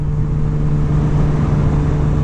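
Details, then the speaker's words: 2021 Kawasaki ZX-10R at 30 mph in third gear, recorded through the rider's helmet: steady, even, consistent hum with no knocks, misses or surges. Normal smooth running. "but this is 30 miles an hour in third gear this seems pretty normal to me it's pretty smooth the motor sounds very consistent"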